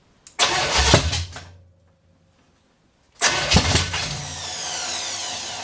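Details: 454 big-block V8 stored 20-25 years, first start on open headers, float bowl filled, possibly running on seven cylinders; barks to life loud and ragged, dies after a second, then refires and settles into a rough run; cause unconfirmed.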